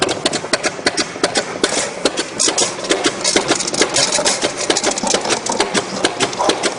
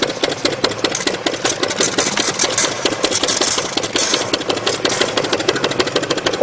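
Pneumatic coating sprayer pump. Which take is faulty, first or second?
second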